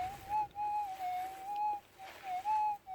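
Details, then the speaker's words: Minelab GPZ 7000 in manual ground balance mode over a 3 gram gold nugget. A clear mid-pitched tone swells about once a second, with the negative threshold heard clearly: a normal, readable target response. "but just as a simple test, you can hear that negative threshold quite clearly as you run over that. 3 gram nugget in manual mode."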